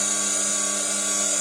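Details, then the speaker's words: Candy GO F 107 washing machine drum motor after replacing worn carbon brushes with donor brushes: steady high clean whine, no scraping or sparking crackle; drum spins normally, fault was brushes. "Всё вот уже крутит оно Проблема была в щётках"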